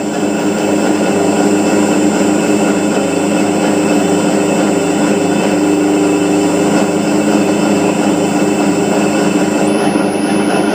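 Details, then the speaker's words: Motor run on CHF100A VFD with carrier frequency (P0.14) raised from 1 past 8: even hum with only a faint very high thin tone, the drive's low frequency whistle gone. "देखें अब मोटर की आवाज़ बिल्कुल भी मोटर की फ्रीक्वेंसी की आवाज़ नहीं है।"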